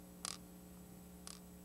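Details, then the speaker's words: Audi 5000 fault-memory test with fuse removed: idle stabilizer valve gives two crisp clicks about a second apart over faint hum, cycling properly. "now we're gonna go says here to the idle stabilizer valve right we should hear it click and we should also see the code displayed"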